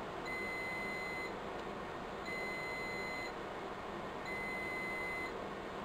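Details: Riello DVD 2200 UPS: a high, steady beep lasting about a second and repeating every two seconds over a quiet room hum, warning of failing batteries before battery replacement.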